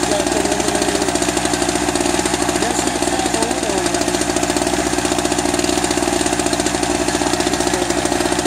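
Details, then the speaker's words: Eagle River ERG1200 two-stroke generator, first start: harsh rapid even rattle over busy buzz; owner suspects poor lubrication as oil smells plasticky, cause unconfirmed; knocking. "i don't like that knocky sound i gotta pull the oil out check it out"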